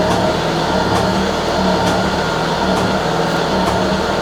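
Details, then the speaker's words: Citroën BX after hydraulic work, pump probably emptied, suspension set to high and rising: steady hum with uneven light ticking about once a second; the system is low on pressure and still building it. "All that clicking suggests that it's low on pressure for sure. needs to build up all the pressure."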